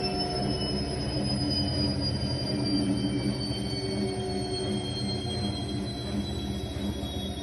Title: Electrolux time care 500 EW2F2027R1: squeaking noises as it slows down